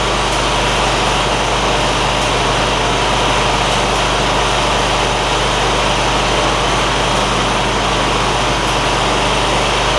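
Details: John Deere ZTrak zero-turn Kohler V-twin, sat two years, after carburetor cleaning that fixed a sticky fuel solenoid causing no fuel; smooth, steady drone with no misses or surging, light ticking from oak leaves hitting the cooling fan.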